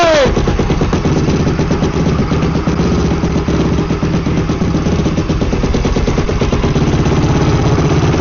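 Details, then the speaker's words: Freshly rebuilt Yamaha YFZ450R engine (rebuilt after a tooth broke off first gear), first start with fluids filled: catches on the first try and settles into a quick, choked, popping idle with no knocks or clatter; normal idle. "pull a choke Marky Mark is it P woo high five he's alive"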